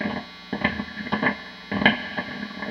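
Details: Vintage Telecaster neck pickup through amp after reseating cover so pole pieces can't jostle: hum with sharp scratchy bursts when rubbing the bobbin; still microphonic, likely needs full wax potting.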